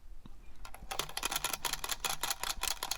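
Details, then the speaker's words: NES Tecmo Super Bowl cartridge, shaken by hand: dry, uneven clicks and taps from a loose part knocking inside. The save battery has come loose. "yep that's certainly a rattle so let's crack this open and see what's wrong with it"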